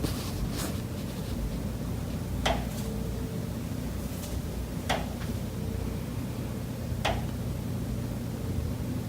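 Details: Condo unit, September: sharp single knocks roughly every two and a half seconds over a low steady hum. Pipes behind the kitchen wall knock constantly day and night, audible through the kitchen and living area; cause unknown.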